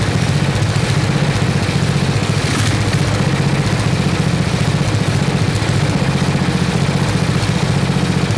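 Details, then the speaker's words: 1979 Toro 826 snowblower, 8 hp Briggs & Stratton, revived, freezing cold: governor rod pushed against spring to raise rpm; fast, steady chug with no stumbling or knocking; runs cleanly. "it puts some pressure on it trying to fight against the the spring and the governor and it should make the rpms go up quite a bit so let's let's just do a quick test here we go"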